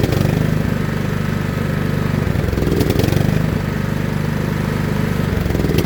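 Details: John Deere L110 lawn tractor's small single-cylinder engine, revived after sitting three years with its carburetor removed, chugs at a steady idle with a firm, regular beat and only slight unevenness; it is running normally.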